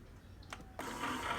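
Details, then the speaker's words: Keurig K-Compact coffee maker, previously stuck with blinking lights, fixed by reset and refilled water, brewing a small cup: brief click, then a steady soft whirring hum as it heats water; normal brewing. "and you can hear it making a sound and it's starting to boil the water and there you have it it's working"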